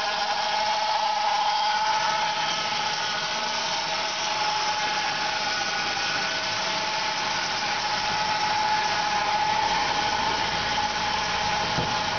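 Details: 1999 Saab 9-5 2.0L turbo B205E (150 hp); steady running with a constant mid-high whine holding pitch, suspected but unconfirmed to come from the oil pump; oil pressure also drops when hot; engine whine.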